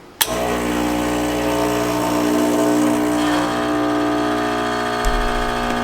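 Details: Rancilio Silvia M single-boiler espresso machine after full service, pulling an espresso shot, portafilter tamped and locked in: steady even pump buzz throughout with no stutter or strain, normal espresso pump operation.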